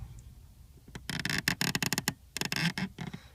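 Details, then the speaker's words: BMW E36 323i clutch pedal: scratchy, creaking squeaks in quick bursts as the pedal moves, from the return spring not seating in its plastic guide, not the bushings; drowning it in motorcycle chain oil quieted it after a few hours' driving. "so trying to get to the bottom of my squeaky clutch and I ordered the bushing kit but I think it's not the bushing I think it's actually the"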